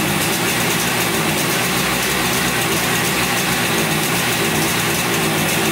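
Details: 1971 Yamaha CS200 twin two-stroke, sat over 17 years, recently revived: raspy, uneven idle with lumpy beat instead of a smooth twin rhythm; owner suspects only one cylinder firing, one not sparking; later spark present, left cylinder 125 psi compression.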